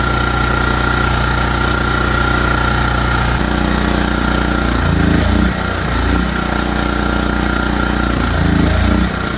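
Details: ETQ3000 3000 W portable generator after repair, choke on, fired up: steady, even drone with faint whine, dipping briefly once or twice as it settles, running smoothly.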